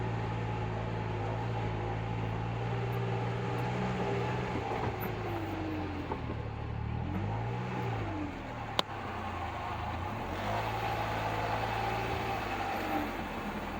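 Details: 2024 Polaris Ranger 1500 knock/popping noise: engine runs as revs rise and fall, with one sharp pop standing out near the middle; intermittent popping, cause not yet pinned down.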